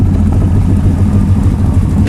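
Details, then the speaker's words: Motorcycle just back from the mechanic after repeated running problems, first suspected a wire: steady even low thumping idle, firing pulses more prominent and consistent, no misses or knocks. "See, now it actually seems like the firing of the engine, the dum dum dum dum dum dum dum dum. That now it's, I don't know, I can't find it. It sounds more prominent. It's especially at idle. It just everything feels and sounds just a little bit more consistent."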